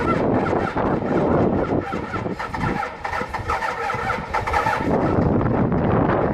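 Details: Cummins diesel pickup cold start at −16° after sitting two days unplugged, grid heaters disconnected, good batteries: rough, clattery cranking that catches and runs unevenly with heavy diesel rattle.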